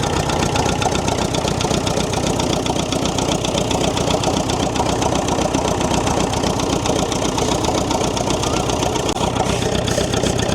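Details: David Brown diesel tractor, just started after sitting 10 years, oil pressure gauge up a little: steady idle with fast, fairly even tick about four a second; tapping likely from valve gear, unconfirmed.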